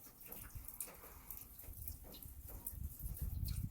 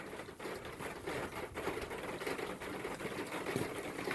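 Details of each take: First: Rain runoff after new seamless gutters with Leaf X covers were fitted on a standing seam metal roof: soft, low trickling and dripping with no loud splashing from the dormer onto the lower gutter cover. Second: Standing seam metal roof: rapid, irregular tapping and pattering as water drips off the dormer onto the lower gutter cover; quieted by new seamless gutters and Leaf X covers.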